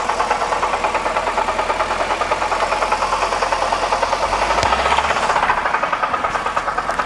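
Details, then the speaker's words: BMW E92 325i manual at idle: deep heavy, fairly uneven knock about three per second from engine bottom, suspected rod knock but actually failed AC compressor; not low on oil, not hot. "that noise end sounded like it was coming from the bottom of the engine very very deep and it wasn't a tap or a it wasn't it was a knock"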